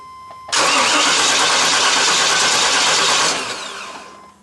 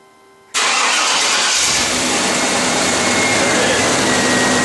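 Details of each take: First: 1995 Chevy Tahoe 5.7 TBI, cranks but won't start: starter spins the engine steadily about three seconds without catching; spark is present, and the fuel pump relay isn't powering the pump. Crank, no start. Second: 1995 Chevy Tahoe with 5.7 TBI, crank-no-start, after swapping in another fuel pump relay: silence, the fuel pump runs, then the engine catches at once into a steady, even run. Normal start; a bad fuel pump relay was the cause.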